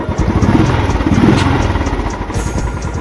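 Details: Royal Enfield Classic 350 UCE BS6 single after engine repair and full master service, ready for delivery (previously making an engine noise); even steady thumping at idle around nine beats a second, no knocks or rattles. Healthy normal idle.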